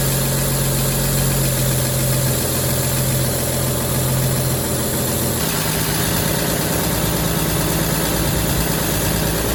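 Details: 1953 Chevy shop truck sitting 40 years, old gas tank removed, foot pedal start: even, steady idle with one small settle in speed, no misses or knocks; normal idle, later reading 170 after running a while.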